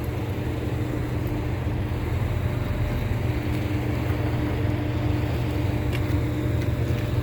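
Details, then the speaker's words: Walk-in cooler condensing unit (compressor with weak valves, bad headmaster and fan cycle control, plugged evaporator) started after purging lines: compressor settles into a steady, even low hum, no knocks or rattles; sounds healthy. "Sounds healthy. Sounds very healthy."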